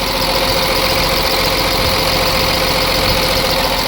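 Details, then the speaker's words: Cummins diesel in a Ford F750 truck, first start after sitting for years: steady, even idle with firm clatter and no skip after the empty fuel filter was refilled with diesel, likely the cause of the earlier skip. "Well, that sounds better. Let it run a while. Make sure that skip is gone."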